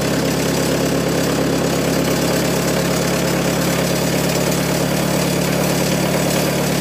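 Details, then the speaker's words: Giemme EF115 flail mower after assembly and repair: steady even low hum, constant drone, no knocks or grinding; the noise is normal, just drops falling back; seems to run fine. "Alors, le bruit c'est normal, hein, c'est les gouttes qui retombent."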